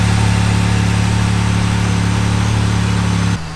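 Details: 2018 Jeep Wrangler JLU Rubicon, first start after a turbo kit install with new injectors and an HP Tuners base tune: smooth, even low hum with no ticks, knocks or hunting until shutoff. Normal idle.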